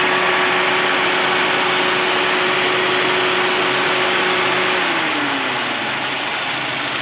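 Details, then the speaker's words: 2012 Toyota Rush automatic after cylinder head and cam chain repair for code P0012 and a rough engine: even, smooth idle with a steady hum, no tapping; P0012 no longer appears, normal. "untuk mesin ah Hidup ya kita tes jalan tadi untuk p0012-nya udah enggak muncul lagi"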